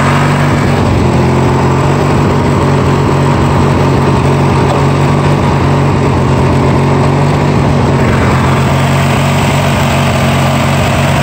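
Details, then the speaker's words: Free Yard Machines mower with a 20 hp twin and 42-inch deck, started after sitting with no gas. A loud, lumpy, wavering drone that won't settle or idle down; fuel delivery isn't right and carb work is needed. "won't even idle down soul yeah so we need obviously some carb work"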